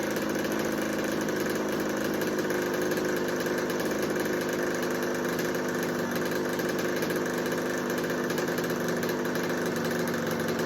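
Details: 1986 Kawasaki KX125 two-stroke, previously no spark and no start: holds a steady, even idle that does not rise when spray is applied around both sides of the carb, so there is no intake air leak.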